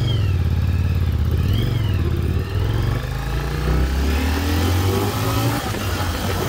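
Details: 1996 Yamaha Virago XV750 V-twin, sat untouched about 10 years in a garage, now cleaned up, test ride: uneven thump pulling cleanly through the gears, picking up and easing off with no stumble or popping; healthy running.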